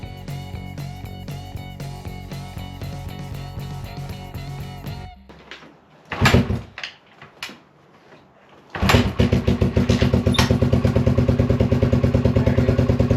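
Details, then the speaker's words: 1981 Honda XL185 single, engine swapped in from a second bike, after a tune-up with valve and decompression lever adjustment and an oil leak fix: after some handling noise, an even, rapid thump with no ticking or misfires; healthy idle, no longer leaking oil. "engine's holding oil engine's running great too after I did all that uh tuneup for it doing the valves"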